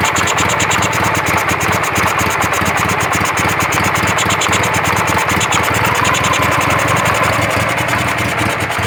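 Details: Carburetted engine at idle: a fast, uneven pulsing idle that shakes and won't set properly, with a whistle from the right side that seems to come from the carburetor and changes when the choke is lifted; owner doubts a head gasket.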